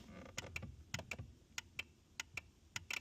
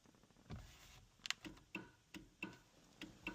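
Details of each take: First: BMW Mini Cooper S R56 that failed MOT for no horn: crisp horn relay clicks in quick pairs, about ten in three seconds, as the horn push is pressed; relay switching normally. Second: BMW Mini Cooper S R56 that failed its MOT for the horn: sharp relay clicks with each horn press but the horn stays silent; slip ring suspected, as on a previous car.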